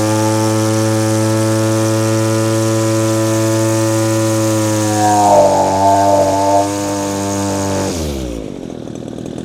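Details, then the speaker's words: Echo powerhead with string trimmer attachment, ethanol-fuel-affected: steady high buzz that roughens and wavers then drops; high-speed mixture set rich, four-stroking, being leaned out for higher speed but not to maximum. "The setting I have right now, it's two-stroking quite a bit. I want a more lean mix."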